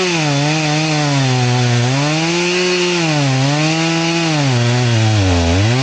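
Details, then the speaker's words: Chainsaw with its chain filed to 10 degrees, cutting: the pitch sags and recovers repeatedly as the chain loads up, cutting very slowly like a dull chain. The owner wonders whether the full-chisel chain is the cause. "So, it was just really, really slow."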